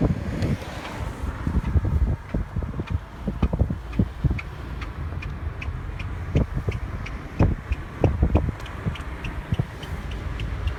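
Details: Car driving to the mechanic in Drive; faint ticking squeaks repeat faster with speed, partly masked by wind and road rumble, stopping when stopped, owner suspects tires, source unclear. Squeak while driving.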